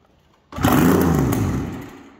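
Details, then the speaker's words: 2000 Yamaha SRX700 three-cylinder two-stroke triple snowmobile, non-runner fixer-upper fed brake cleaner; sudden rough catch on the pull, short ragged rev dying back, firing on the cleaner, choke then called for. "oh yeah she going to be loud too but we won't run it very long just enough to hear the sound of the triple"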